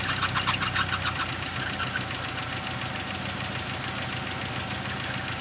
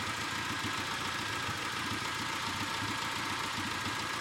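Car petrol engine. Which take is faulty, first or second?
first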